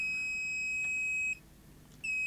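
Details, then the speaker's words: Grundig SVR4004 VCR with blown fuse: steady high continuity beep that drops out briefly and returns as probes retouch, showing a short on the input to the 5 V regulator. "so we got short on the input to the 5V"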